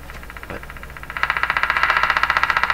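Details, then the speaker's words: Canadian Philco 409 (46-350) portable radio on the bench during RF alignment with a loop antenna: sharp, even pops about 2.5 per second over the hiss, slowing later; interference from an unknown source in the house. "you can hear that popping sound that's the interference that's here in my house"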